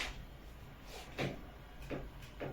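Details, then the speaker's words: Bed loaded by a 160-jin (80 kg) person: three soft woody creaks as weight shifts, from two bed slats that crept together and rub at their joint; fix is re-spacing slats to leave shrinkage gap. "大家仔细看这2块床板连接的位置，由下向上，慢慢的它们居然挨着一起了。嚯！又是摩擦产生的，和上一次那个异响原因一样。"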